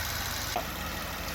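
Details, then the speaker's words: 2009 BMW 750Li V8 with an intermittent tapping complaint (timing chain or lifter suspected): even, quiet idle with steady low hum and no tapping present at this time; engine runs fine. "So in this case, engine runs fine. If we start right now, engine will just like not make any noise. Engine sounds fine."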